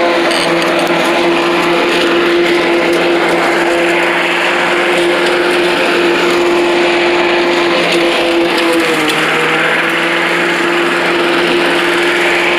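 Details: Old Rover Turbothrust mower built in Brisbane, Australia, no battery fitted, cutting grass into the bagger: a steady, even drone at constant pitch. Normal running under load; owner thinks the blade brake shoe may need replacing.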